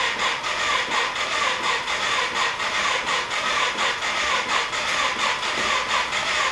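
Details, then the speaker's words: Yamaha 225DX trike under restoration, choke held open with vise grips and throttle open, carburetor overflowing: slow, labored cranking about 80 turns a minute, each stroke dragging; owner suspects the battery is toast or too small to turn the starter. "what's that noise is that actually starting over juice juice batteries toast with you thanks yeah I don't think this battery is big enough"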